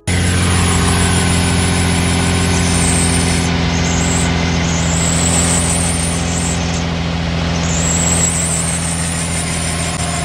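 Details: Nissan 350Z with VQ35HR engine at idle before the serpentine belt is replaced: a thin, persistent squeal rides over the engine note as the worn main belt slips; it is due for replacement.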